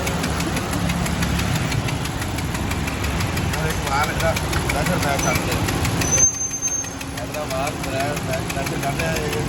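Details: Honda Civic engine at steady idle with a fast, regular tapping knock riding over the engine note; engine knocking noise, cause unclear.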